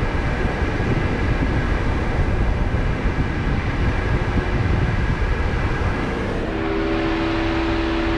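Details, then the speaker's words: Jeep JL Wrangler Rubicon, about 80 degrees after sitting in sun, AC switching on: loud engine-bay rush then a steady humming howl from the condenser fan, said to get worse on hot days; normal condenser fan howl. "this thing howls that noise powers and it's kind of embarrassing when you're uh in a parking lot"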